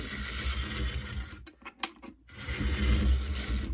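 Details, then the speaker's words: HO scale Life-Like 0-4-0 steam locomotive on test run: buzzy motor with uneven, stumbling rasp and brief dropouts as it hops and derails; cracked drive gears make it run rough. "But while we were testing it, as you noticed, it derailed and it was not running very well."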